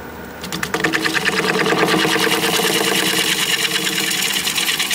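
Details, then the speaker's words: Cracked juniper bowl blank with inclusions on wood lathe: steady cutting hiss with sharp regular pops about three a second; turner fears cracks are giving way but sees no issues. "I keep hearing this pop pop I'm hoping all of these inclusions and cracks and whatnot aren't giving away it sounds like we are but I don't see any issues"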